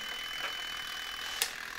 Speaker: O, wyłączyło. Słychać było kliknięcie i nie mamy tutaj już połączenia prądu, czyli to wszystko tutaj fajnie działa.